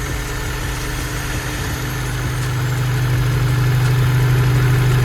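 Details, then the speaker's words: Honda S2000, bored-out engine with ARP head studs, just restarted after rebuild, top-end tick gone: smooth steady idle, even low rumble, no ticking; healthy, purring. "It couldn't sound better. It literally could not sound better. It's purring."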